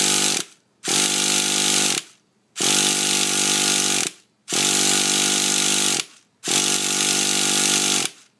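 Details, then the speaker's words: Brand-new, just-installed Traxxas TRX 3.3 nitro engine, primed: four short buzzy starter bursts, engine spins but never catches. Fuel reaches the engine and exhaust; the glow plug takes 3–4 seconds to glow. Cause unknown. "so that's what happened when you try to start it um just nothing that it's already prime and all that no problem with that just it won't start"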